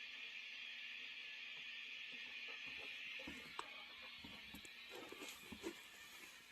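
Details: 1996 Peavey 5150 2x12 combo tube guitar amp, before repair; steady hiss with scattered sharp pops and crackles over a quiet hum; two capacitors and four resistors were then replaced.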